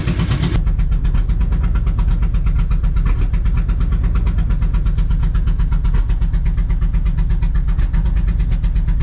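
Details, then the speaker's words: Honda Civic wagon, just revived and running on pump gas: steady low rumbling idle with an uneven, slightly loping beat around three pulses a second. Rough idle, still needs tuning. "But the car is alive again on pump gas, guys. And uh we're going to tweak with this a little bit more."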